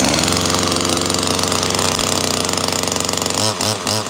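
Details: Small gas chainsaw just pulled out of the truck: two-stroke buzzing at steady high revs with an even, raspy note, then chopping as it loads up; runs fine.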